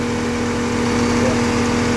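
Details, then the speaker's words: FC truck, engine hot: loud constant whirring drone with shaking and fluttering near the radiator; owner suspects one of five cooling fans, exact fan unknown; fans keep spinning after engine shutoff. "ผมสันนิษฐานว่าน่าจะเป็นพัดลมหรือเปล่าเพราะว่าเสียงดังแล้วก็สั่นสั่นตะพือ"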